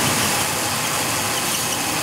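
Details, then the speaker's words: 2002 Ford Taurus running with a steady high-pitched squeaky chirp from a worn cam sensor synchronizer (distributor) shaft; engine also has a cylinder 1 misfire under load from a weak ignition coil. "sorry about the squeaking in the video here that's that cam sensor synchronizer distributor shaft is worn"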